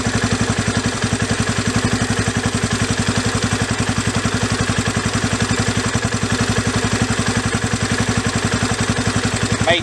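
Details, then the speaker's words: Yamaha Raptor 350 single after carburetor rebuild, idle screw backed out about an extra turn from 2 turns out: even, steady thumping idle with no misses or hunting, no hiccups up or down; idle speed good. "Comes down to idle smoothly. Doesn't have any real hiccups either up or down. Idle speed seems good."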